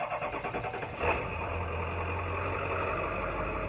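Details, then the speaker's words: 2001 Ford F-350 Power Stroke diesel, started on a warm day after sitting about a week: a thin steady high belt squeal rides over the diesel clatter at idle right after start; owner suspects the compressor or power steering pump pulley. "you can hear the belt squeak before you can hear the diesel which is kind of funny cuz you know these These Old power strokes are freaking loud anyway"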